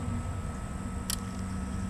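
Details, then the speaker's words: Stock unmodified LS truck harness on an LSx engine test stand, power applied to pin A9 of connector C1 as the ignition switch; one crisp click as the fuel pump relay pulls in, normal relay click at ignition on. "hear the relays click on that was the fuel pump relay listen again heard it click off that was trying to Prime the fuel pump"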